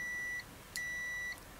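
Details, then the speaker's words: AstroAI new low-cost TRMS multimeter (M2KOR 2000-count or M4KOR 4000-count) continuity test: clear high beeps in half-second bursts, loud enough but not very loud; buzzer working normally. "you know it's loud enough it's not real loud"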